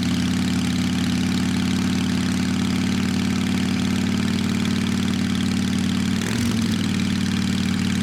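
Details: Motorcycle cleaned up and tuned up after sitting through winter with drained fuel: steady low thrumming idle, even with no knocks or misses, purring like a kitten; normal idle.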